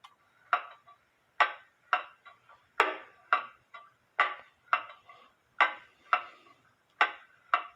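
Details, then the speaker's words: Eli Terry wooden groaner clock after moving the pendulum leader wire closer to the case, beat amplifier attached to the wood: crisp evenly spaced tick-tock about two beats a second, now in beat, may need slight adjustment. "As you can see, the pendulum leader wire is bouncing off the crutch."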